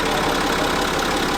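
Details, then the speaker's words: Citroen C6 diesel after a gearbox repair: a fast, dry rattle at idle over the diesel clatter, from the chains between the camshafts. The noise only slightly reduced, and urgent chain replacement is recommended. "would be to replace the chains ... ... between the camshafts. Unfortunately, that noise doesn't go away. It did went a bit away ... ... just a bit, but not enough."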